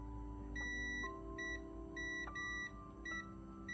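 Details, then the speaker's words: Original 1989 Game Boy DMG under repair: multimeter continuity beep cutting in and out in bursts with probes held still on battery spring contact, likely heavy oxidation; intermittent continuity. "I'm not moving. It's intermittent. I think it's so heavily oxidized that it's doing that."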